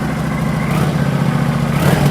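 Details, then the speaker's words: 2009 Kawasaki VN900 Classic, fuel-injected V-twin that sat a season and wouldn't start, just after a spark plug was refitted: steady, even lope with no misses or stumbles, firing on both cylinders; normal idle. "so bike sat for a long time could not getting started customer tried putting fuel in it could it just be the spark plugs let's find out"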